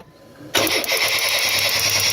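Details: Chevy S-10 no-start with new battery, fuel confirmed via starter fluid: starter whirs with steady crank but engine never catches.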